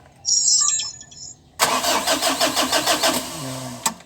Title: (397) L300: HARD STARTING BA?